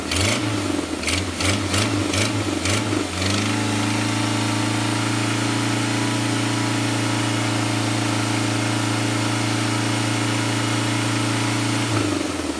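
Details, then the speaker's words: Jeep Wrangler TJ, early-spring check: after a few cranking pulses it catches and idles with a raspy ticking puff on top; exhaust manifold blowing by at the rear, not timing chain; repair still to be done. "what you're hearing is that a dog manifold way at the back is blowing by on the back end so that's definitely going to tackle but spring is really here"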